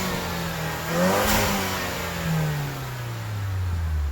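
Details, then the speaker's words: 2014 Range Rover Evoque Dynamic turbo, nearly warm, revved after a new cast-iron exhaust manifold and gaskets, with an open air intake: smooth rev and settle with a faint rising turbo whistle; healthy, no leaks. "hear what that open air intake sounds like you actually hear the turbo whistle and a little blah it's kind of nice"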